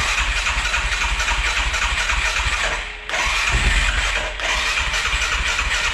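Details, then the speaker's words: 2011 Arctic Cat 700 EFI ATV, single-cylinder: hard starting and a rough, uneven idle that surges and nearly dies twice, with weak power; caused by incorrectly set valve timing. "Sú tu o dosť horšie štarty. Ten chod mi príde mi nepravidelný."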